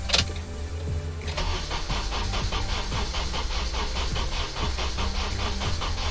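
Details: 2003 Honda Element that would not start, just after fuel pump replacement: brief cranking, then the engine catches and settles into an even idle with steady firing; starts and runs normally.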